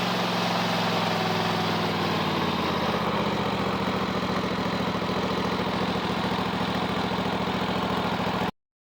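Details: Kohler 7000 series mower engine that surged at low idle (not at high idle) after running out of fuel: after the carburetor was removed, cleaned and refitted, it holds an even, steady idle with no surging, then shuts off.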